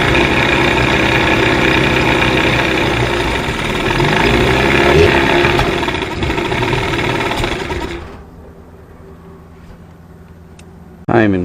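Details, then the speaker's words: 1989 Johnson 40 HP VRO outboard, before linkage, carb and reed work: busy, uneven burble for several seconds then falters and quits; won't hold a steady idle. "well let's see if she idles now any better"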